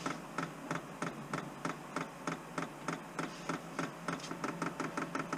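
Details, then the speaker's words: Chinese diesel heater being installed in a garage, fuel pump primed by holding two buttons: quick, even ticking over a faint hum that grows more frantic as fuel moves up the line. Normal priming. "So it seems to be getting more frantic with its pumping. So I think we're primed."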